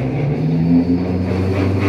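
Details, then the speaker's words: LG Inverter 12 kg direct-drive automatic washing machine on spin: loud, steady low drone with a rough, rumbling edge, something catching underneath, also noisy in wash; traced to a defective motor, repaired by rewinding. "problem merong maingay So may sumasabit sa ilalim niya maingay siya So spin dryer yun"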